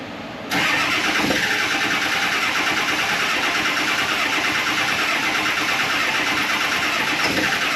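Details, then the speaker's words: Early-2000s Ford F250, 400,000-mile 7.3 Power Stroke diesel, with the ICP sensor plugged back in: long even cranking with faint attempts to catch; cranks, no start, suspected fuel prime problem. "You know, I'm I'm thinking that we just have a prime problem in the fuel, I think, cuz it it did try to fire up. Let's go crank it some more."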